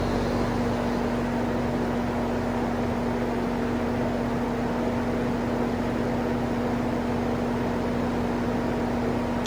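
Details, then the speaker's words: Vintage Sears box fan in exhaust mode: steady airy whoosh over constant low hum, sluggish speed, slows right down on low; owner suspects bad windings or switch, not confirmed. "It slows right down on low though. Quite a bit of motor hum too. Wonder if the windings aren't bad in it."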